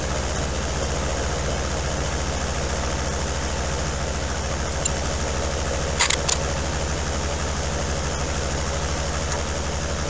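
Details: Daihatsu Fourtrak pickup turbo diesel after engine swap due to blown head gasket, new clutch, first test run: even steady idle clatter, smooth unbroken rhythm, no knocks or misses; running healthy.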